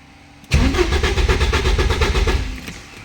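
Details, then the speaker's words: 1986 Porsche 944 Turbo: the starter cranks at about four beats a second for two seconds without firing, so it cranks but won't start. No ground appears at ignition on; cause not yet found. "Всё это проверено, но машина не заводится."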